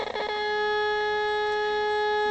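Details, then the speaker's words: Pye TRS-2000 AM/FM radio on AM, AGC bypass capacitor removed (stock 10uF, mod uses 22uF): steady mid-pitched test tone comes out harsh and buzzy instead of clean; severe AM audio distortion. "uh-huh it sounds awful"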